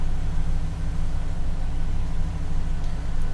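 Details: Chevrolet with P0121 after throttle body cleaning: deep, smooth idle with steady level, no stumbling; revs jumped then settled, TPS reading falling toward under the 20-degree threshold.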